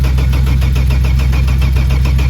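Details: Saab 900 V6 that had been driven into the paddock, tried with starting spray: strong, even starter cranking at a quick steady beat, engine never fires; fuel pressure to be rechecked. Cranks but will not start, cause unconfirmed.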